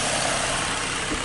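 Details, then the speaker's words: 2013 Ford Mustang V6, 38,500 miles, stock with permanent air filter, water pump replaced: soft, even hiss at idle with no popping, ticking or rasp; normal exhaust at idle. "listen to the exhaust and i i guess there's really not much to hear but uh there it is"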